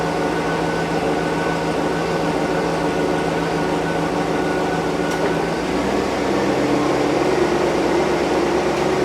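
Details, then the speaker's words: 2008 Chevy Suburban air ride suspension compressor after replacing the unit that rattled when running: steady, even electric hum with a smooth drone and no rattle or knocking; runs quietly and normally after repair. "Hopefully it won't make that racket. All right, everybody, the moment of truth. We're going to look hot. No racket."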